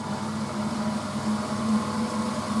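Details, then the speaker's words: Frigidaire FSD28 2800 rpm spin dryer with a quiet direct-drive induction motor, spinning up; steady low hum with a faint even whirr as water is flung out, no knocks or grinding; motor sounds healthy. "And when you hear that sound, that's the water being flung out."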